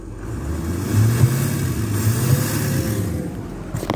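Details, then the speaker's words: 2006 Ford F250 6.0 diesel that previously only idled with no throttle due to a shorted MAP sensor pulling down the 5 V sensor supply, now with MAP unplugged; deep rumble swells and falls smoothly on blips; normal throttle response. "okay running it's idling and let's hit the throttle yes sir that was the problem here we go i'm gonna hit it again"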